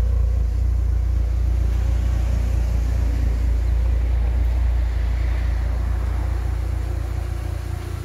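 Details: K-Series engine warm at idle after coolant refill with new expansion tank, running cleanly; deep, even idle thrum with a smooth steady beat, no knocks, ticks or whine, "purring like a kitten". Normal idle.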